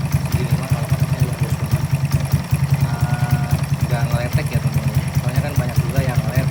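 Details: Honda Karisma-based motorcycle (C800 body), bored up to 148 cc with 56 mm piston and custom cam: even low thumping about two and a half beats a second, no ticking or knocking; smooth healthy single-cylinder idle.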